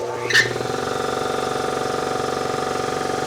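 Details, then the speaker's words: Ingersoll Rand 5HP 2-stage 80-gal air compressor with replacement eBay motor, after new magnetic motor starter installed: sharp starter click then steady even pumping hum; voltage holds 241 V while running; normal start and run. "It works. It's the exact same voltage when it's running, 241."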